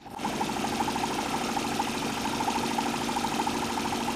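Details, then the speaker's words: Homemade Stirling engine driving a bicycle, modified with double opposed cup piston seals, spins with quick, even chuffing and a light rattle. It runs smoothly and gives a small power assist, though not enough for climbing hills. "Oh, itu benar-benar mendorong saya. Suaranya keren banget."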